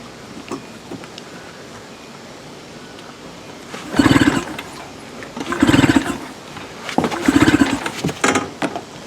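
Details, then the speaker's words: Tracker (Mercury Marine) 9.9 HP outboard, unused about a year, choke pulled, primer bulb squeezed: three hard pull-cord yanks, each a brief rattling spin, never catches; cranking with no fire. "maybe I got the switch in the wrong position well I would doubt that down is run all right that's my workout for today we didn't get anywhere"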